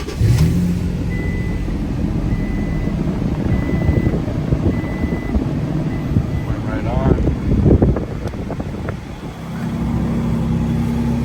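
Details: 2005–2015 Toyota Tacoma, was cranking but not starting with code P0335, after crankshaft position sensor replacement: engine catches within a second, settles to steady even idle, revs up cleanly and drops back smoothly; normal start and idle.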